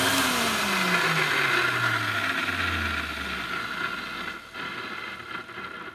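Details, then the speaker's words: Electrolux 502 vacuum cleaner after bearing lubrication and reassembly: motor whine dropping in pitch on spin-down with a rough rasp under it; worn motor bearings, sounding slightly better. "nice um I know this sounds a bit strange but it does sound a little bit better I think I will leave it running for a few minutes to let the grease and oil or whatever go through to it and maybe that'll help into the bearings"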